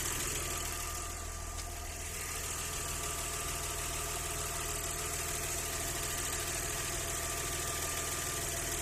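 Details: Audi 100 C4 2.6 V6 at idle: steady idle carrying a light, even knock around three per second over the hum; owner asks what is knocking, source unclear.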